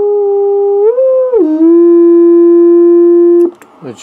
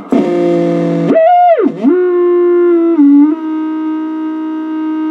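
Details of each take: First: Heathkit VF-1 VFO converted to solid state (transistorized): a clear, pure keyed tone that glides briefly while tuned, then holds rock-steady with no hum; clean, stable oscillator. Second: Original unmodified tube Heathkit VF-1 VFO tone heard on a receiver, before solid-state conversion: whistle swoops then settles, with chirps, clicks and a low growl, 60-cycle hum from the 6 V filament supply.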